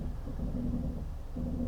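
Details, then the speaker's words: Genesis GV70 SUV creeping forward at walking pace in traffic: low, creaking brake groan in two drawn-out swells, likened to a sinking ship. "The brakes are quite noisy when you're just creeping along at slow speeds."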